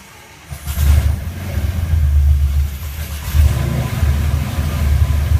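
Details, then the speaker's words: Rotec R3600 engine on new test-stand dyno, mixture rich, throttle closed, primed then cranked and ignition switched on; catches with deep uneven firing, stumbling and surging before settling; needed more priming. "needed a little bit more priming do the engine"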